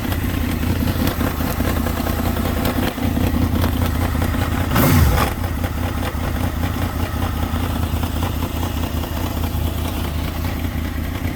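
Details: 2003 Honda VFR800 idling with a loose, uneven rattle and knock. It had been cutting power while riding; new spark plugs fitted, and the sound began right after adding fuel treatment.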